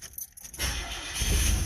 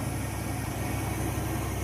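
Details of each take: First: Old Chevy S10 pickup towed in as no-start; fuel pump ran but there was no fuel pressure, tank empty, now about an eighth of a tank added and key cycled: light clicks, then the engine catches and settles into a steady run. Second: Old Chevrolet S10 truck towed in because it was out of gas; after fueling it fires up into a steady, even idle with a smooth low rumble and a small bump partway; normal idle.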